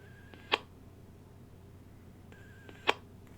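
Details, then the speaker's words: Bluetooth speaker with loose, suspected faulty USB charging port; at power-on a faint high chirp then sharp click repeats about every 2.5 seconds, erratic voltage and no current draw on USB meter; cause unknown. "So when you turn it on, it simply makes this very strange noise."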